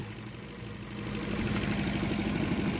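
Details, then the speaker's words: Ford Fiesta with crank-no-start complaint, after troubleshooting and clearing faults with a scanner: starts and holds a steady, even idle with a low, smooth hum that rises slightly and settles; no misses or knocks, engine healthy. "Okay. Umaanda na po ang ating Ford po ko for the Fiesta."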